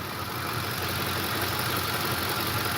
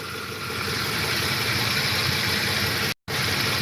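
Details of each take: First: 2008 Ford F150, warm at 204°F coolant, after suspected cam phaser ticking that began after driving through a flooded road: even idle with light quick injector ticking, oil cap shaking slightly; phaser tick no longer heard. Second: 2008 Ford F-150 at warm idle, coolant 204°F: soft rhythmic chunka-chunka knock, three or four a second, that the owner attributes to the cam phasers, with no ticking heard; owner mentions sludge clogging cam-timing solenoid screens.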